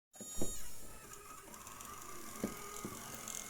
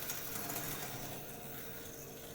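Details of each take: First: Graham Farish N gauge Class 4F locomotive with original motor, before coreless motor fit: steady fine buzz with faint high whine and light ticks, attributed to the controller's PWM signal vibrating the motor, amplified by the shell. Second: Graham Farish N gauge Class 4F after fitting 8x16mm 12V 13500rpm coreless motor, ungreased: soft even whirr with faint track clicks, no growl or rattle; much quieter than the old motor, runs smoothly.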